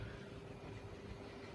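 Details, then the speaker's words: Wrenn 8F model loco, Ringfield motor, at freight-train speed: faint even hum with soft gear whirr, no clicks or grinding; a whisper-quiet motor with nicely meshing gears and armature bearings. "now it's a whisper quiet version even with these mass-produced motors and gears you do get the occasional ones that are quieter than others"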